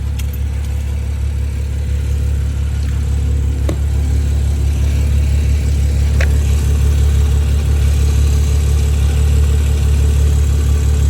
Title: BMW F20 M135i Ticking / Rattle Noise (Undiagnosed)